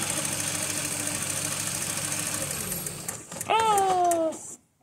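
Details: 1995 VW T4 with ACU engine, which stalls when warm, with a variable resistor set to simulate 79 °C coolant and the lambda regulating: idle runs steadily, then sags and dies within about three seconds as resistance is lowered. The cause is still unresolved.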